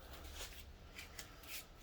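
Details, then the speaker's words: Lockup solenoid from a 2010 Chevrolet Silverado 1500 4L60E transmission during teardown, shaken by hand; light loose rattle in short bursts shows the plunger is free and the solenoid functioning. "Take your lockup solenoid, shake it. You should hear that rattling around in there. That lets you know that that is free and functioning."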